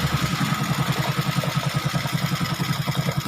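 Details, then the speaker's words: Honda XRM 125 single-cylinder after CNC rebore, idling before air cleaner refitted: even putt-putt about 2.5 pulses per second, no tapping; only the carburetor intake is noisy, oil flowing, quiet healthy idle. "Tapos itong sa carburetor na lang yung maingay. Pag may air cleaner na yan, all goods na yan. Tahimik na yan."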